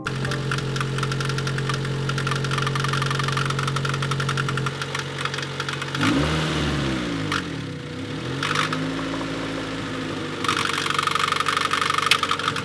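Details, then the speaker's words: Honda Civic: loud, very intermittent knock at idle that goes away as rpm rises; persisted with accessory belts removed, water pump seemed fine, valve lash suggested by others; source unknown, head being pulled. "head so as you can hear it's very intermittent very loud it goes away with engine RPM increasing so we're not quite sure what this could be"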